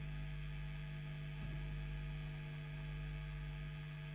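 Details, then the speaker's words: Late-1980s Hiwatt 100R Trinity 100-watt tube guitar amp: steady low mains hum with crackling bursts when a valve socket is moved; extremely microphonic whichever tube is fitted, suspected poor socket contact, unconfirmed. "extremely microphonic doesn't matter which tube we put in and you can see if we start moving this socket we get all sorts of problems"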